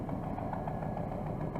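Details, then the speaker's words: Chevrolet Silverado V8 at idle with two broken exhaust manifold bolts in the head: a sharp, regular ticking puff over the engine note from the exhaust manifold leak. "I'll start it up here and in here that and here the exhaust leak we get over here"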